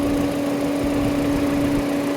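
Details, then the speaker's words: 2011 Mini Cooper radiator cooling fan, previously not turning on, after replacing a missing fan relay (R3 low/R4 high speed) with temperature sensor unplugged: steady even mid-pitch hum, no wobble or rattle; fan running normally. "And then you can hear that. You can hear and see that's running now. So relay switch was the problem."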